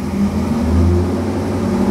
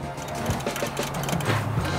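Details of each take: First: 2009 Corvette C6 convertible V8, one owner, low mileage, just started, sat a while, warming up to circulate oil; smooth even low idle, steady deep hum, no ticking or knocking; only gray condensation smoke, healthy. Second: 2009 Corvette C6 convertible V8, one owner, low mileage, crash-damaged; after dropping in a shelf-spare fuel pump with half a tank of premium, starter cranks steadily without catching; owner figures the fuel line just needs priming.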